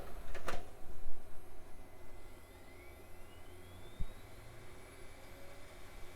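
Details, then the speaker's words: Early-2000s AOpen CustomPC CD-ROM drive (previously not detected at POST): tray clunks, then a whir rising steadily in pitch as the very fast drive spins up and reads smoothly; normal operation. "this sounds like one of those psychotically fast CD round drives that spins the discs so fast it sounds like they're going to explode"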